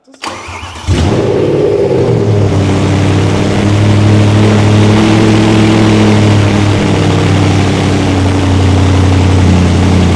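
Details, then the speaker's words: Race-car V8, restarted after first start, no prop shaft fitted, paddle shift tested: cranks, catches under a second, strong even idle with clean blips; normal start and rev. "Lovely. Perfect. And the paddles work. Still. Somehow. Success!"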